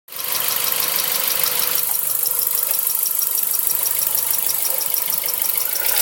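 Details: Mazda 3 1.6: fast light valve tapping, about three ticks a second over steady idle, recorded before valve adjustment; two valves were found with excessive clearance, engine runs quiet after adjustment.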